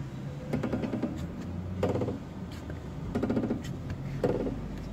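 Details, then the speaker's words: 2014 GM Prisma: four slow, groaning rubbery creaks, one with each turn of the steering wheel. The mechanic suspects the stabilizer link, a common fault; the shock absorber's upper mount is also possible. "cliente reclamando de barulho na suspensão na verdade está atingindo quando vira o volante"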